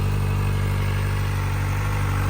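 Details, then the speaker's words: 2023 Kawasaki ZX-4RR inline-four at 400 miles, just after its first oil change, idling at an indicated 1750 rpm versus 1400 in the manual: smooth, even hum, no knocks or misses; normal idle. "I'm sure the RPMs probably are too but it sounds pretty good just purrs like a little kitten"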